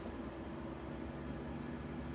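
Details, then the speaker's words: Vollara Surface Pro air purifier, about five years old, after servicing and oiling the fan to cure a rattle: quiet steady low whir with no rattle, squeal or grinding; normal fan running, much quieter. "Yeah. It's way quieter. This is what it's supposed to sound like."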